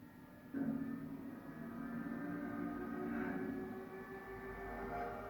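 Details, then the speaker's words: Old non-HDMI Xbox 360 (Xenon motherboard) on dashboard 17559 after JTAG, two red lights flashing for overheating: several fans whine steadily at full speed to pull air through heat sinks; fans running flat out due to overheating. "So we had two lights that were flashing that were telling us it were overheating, so I've just popped the fans up there to try and pull some air through the heat sinks, and then we'll go back up to the screen now."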